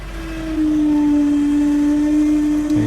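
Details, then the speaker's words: Honda CR-V, sat for years, power steering fails after a quarter to half turn; at startup a steady mid-pitched pump whine over idle with only slight assist; fluid was very dark, owner suspects reservoir problem; power steering pump whine from fluid starvation. "so it's like I'm getting just a little tiny assist um and you can hear the pump"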